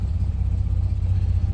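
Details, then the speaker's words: Classic car with AccuSpark BlackBox 3 MultiSpark programmable ignition and vacuum advance, just started and revved: steady deep idle with even exhaust pulses and no stumbles, settling around 850 rpm; normal idle. "so it's settling [Music] down and the 900 Mark bit under 8 so we're seeing sort in the 8 in the 800s"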